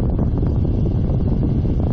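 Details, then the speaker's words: Newly installed Espar D4 diesel heater on a sailboat, set high and controlling to a temperature set point, heard at cabin vent: steady soft air rush, no rattle or whine; heater working normally. "It is functioning properly. Everything is working good. It's controlling to a temperature set point."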